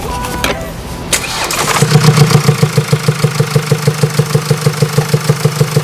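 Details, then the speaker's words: Common used diesel car right after start-up, no warning light: steady quick tick about three times a second over idle from the cylinder head, damaged cam follower bearing and worn exhaust cam lobe; worsens with driving, could stop the engine. "이 소리가 지속이 되면 더 커질 거고 거기서 또 지나면 말 그대로 뭐 뭐 어떤 부품이 손상이 있기 때문에 이 소리가 나는 거란 말이죠"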